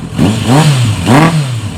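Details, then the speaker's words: 1999 Kawasaki ZRX1100, carbureted, airbox removed, after sitting 12 years, warming up: two quick throttle blips, revs rise and fall unevenly without crispness; owner suspects carbs not set to spec and 100 main jet too small, uneven revving. "it does sound a little healthier, a little more snappy, but it still isn't quite right."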